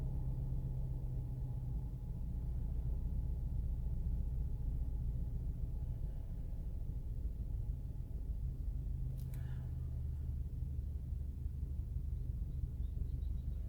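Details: SEAT Leon 1P 1.4 TSI, cold morning start after timing chain replacement: heavy, uneven low drone with a vibrating rumble at idle; noise and vibration appear only sometimes.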